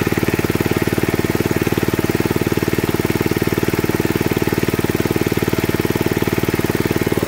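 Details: 1979 Mountfield M1 Monarch 5HP rotavator, first run in 20+ years after new coil, fuel pump diaphragm, plug and exhaust, tines turning: fast, perfectly even single-cylinder thump holding steady speed; normal running under load.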